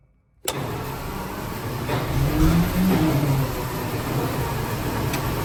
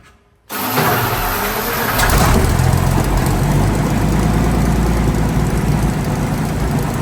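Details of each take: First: Centurion ARV (armored recovery vehicle) starting with a bang, then lumpy, uneven running that struggles to build revs. Owner says it lacks power and wants to stall on clutch engagement. Suspects the ignition timing and plans to double-check it. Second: Centurion ARV after the magnetos were re-timed and aligned to the crank: catches quickly, with no strain on the starter, into a strong, even deep idle. Owner notes it lacks fuel pressure but says the timing is now right. Normal start.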